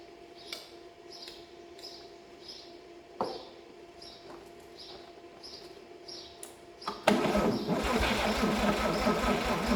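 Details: 1954 Chevrolet 261 engine, first start attempt after sitting about 40 years in a shed: after scattered clicks the starter turns it over freely and evenly for a few seconds, but it never catches; cranks, no start.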